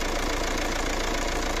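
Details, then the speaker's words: Fiat Doblo 1.9 JTD (Opel Z19DT 1.9 CDTI) diesel after a full engine rebuild for knocking and piston scoring: even, steady idle clatter with no knocks or rhythm changes; normal idle, sound unrecognizable from before. "ну шо мы ласточку собрали что я могу сказать звук совсем двигателя совсем вообще не узнать"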